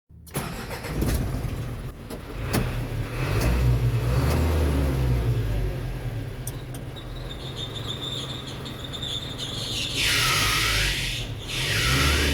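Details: Isuzu Reward diesel at idle with the AC on: a thin, steady high squeal comes in and holds over the diesel clatter; a noisy accessory belt is slipping under the AC load.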